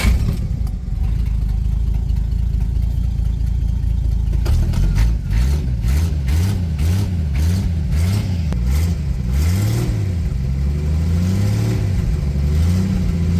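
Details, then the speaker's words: 1961 Studebaker Lark that wouldn't start, with smoke from under the hood, suspected flooded, about 1/8 tank on an incline: about four seconds of steady churning without pumping the pedal, then it catches and revs smoothly. Normal start. "Sounds okay to me. She hates it when this happens. I guess flooded."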